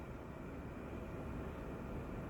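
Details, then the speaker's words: EMI mini split heat pump indoor unit, about two years old, on plain fan mode on a 55°F day: steady, even rush of air with a low hum and no rattles or squeals; blower running hard, sounds normal. "and yeah this is not going to focus today we're just on playing fan and it's blowing really hard and you can see the bar that says the fans blown"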